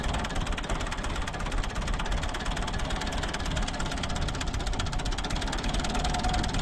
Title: Ford 3910 engine misfire.